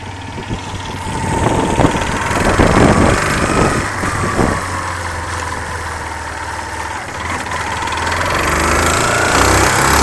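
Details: 2005/06 Yamaha Fazer 250, over 115,000 km: deep knocking rising and falling with throttle blips over a rough idle; mechanics diagnosed and workshop confirmed a worn connecting rod, replaced. Connecting rod knock.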